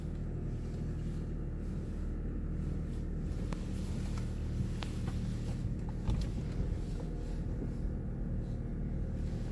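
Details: 2012 Honda Civic: low steady engine rumble with scattered irregular light ticks midway through; the source of the weird noise is undetermined. Unusual noise.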